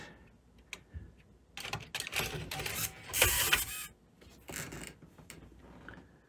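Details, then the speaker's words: JVC Victor XU-D400 Mk II triple-CD/MiniDisc combo deck, MD drive after spindle motor revived and partial recap: bursts of whirring and clicking motor effort that stop and restart as the disc struggles to seat; loading belt slipping, emergency stops recurring. "this thing's got more problems than I would really like to deal with right now and still having trouble with that loading belt too"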